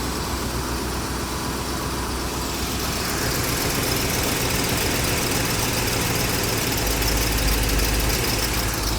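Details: 1956 Buick Century, freshly professionally rebuilt engine, after timing checked right on with a timing light, distributor locked and idle speed touched, vacuum advance still disconnected; steady, even idle with smooth low beat, no misses or ticks, running cleanly.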